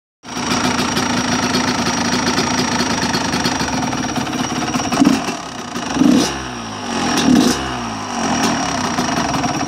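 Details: Small motorcycle engine with a new piston and water pump, only a couple of warm-ups done and no crank play: a busy, rattly mechanical noise at idle that persists through quick revs. The cause is unidentified, and the owner doubts it is normal.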